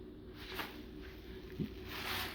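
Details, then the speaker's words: 1999 Lexus ES300 with code P0446: the old EVAP charcoal canister, shaken by hand, gives soft, irregular gritty rattling from loose charcoal, unlike the tightly packed new canister; the owner is unsure this caused the code. "you can hear the charcoal moving around whereas in the new canister it's not the case so it's like tightly packed in there"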